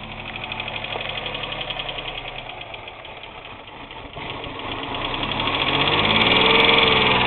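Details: 2001 Pontiac Grand Am after a failed lower intake manifold gasket repair: rough idle with steady, sharp knocking about three to four times a second plus a misfire; rod knock suspected, not confirmed; misfire later traced to a burnt exhaust valve.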